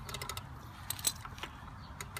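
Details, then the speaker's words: John Deere JX75 lawn mower rear wheel rotating after tire rotation: light, quick, even ratchet clicks in one direction, silent when turned backwards; normal freewheel ratchet clicking. "you can see when the wheel rotates you can hear it clicking and goes backwards it does not click"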